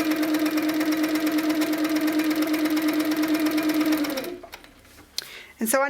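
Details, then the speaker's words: Handi Quilter Sweet Sixteen with pink top thread, after tightening the top tension about a half turn more. Smooth steady whir with a stitch beat about three per second before stopping. No pink dots show on the back, so tension is perfect. Normal stitching. "I can't see any little pink dots at all so I know now that my tension settings are perfect they're spot on"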